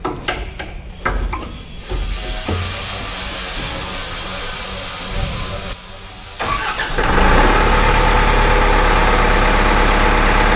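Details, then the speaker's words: Caterpillar wheel loader diesel after installing new 24-volt starter: brief crank, catches cleanly around seven seconds, settles to steady even idle; connections not hot: normal start and idle. "sounds good. So we double check, make sure none of these are hot, and they all feel good, so that's good news."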